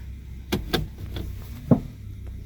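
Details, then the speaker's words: 2014 Toyota Sienna, shifting into drive and accelerating slightly; over a low idle rumble come a few dull knocks about a quarter second apart, then one more, from the front right, caused by a loose top engine torque mount. "Okay, not right now. But if I accelerate just a little bit, there is a clunk."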